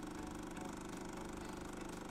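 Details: Jura A7 espresso machine after replacing the cracked brewer unit (error 8): quiet, even buzzing pump hum with a fast steady pulse while brewing a 70 ml espresso; normal pump operation, no strain.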